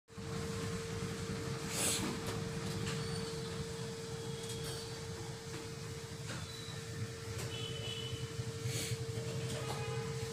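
Low, even thumping idle with a steady rhythm and no knocks or misses; the single is ticking over cleanly and healthy.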